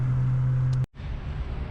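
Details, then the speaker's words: Straight-pipe exhaust after fixing metal-on-metal rattle by replacing failed Flowtech Raptor mufflers and correcting the heat shield and installation. Deep even rumble with a brief dip, no rattle or buzz; normal exhaust. "god i love that sound there's nothing like that sound nothing nothing nothing nothing like that sound oh i love it all right i believe that the uh the rattle is fixed"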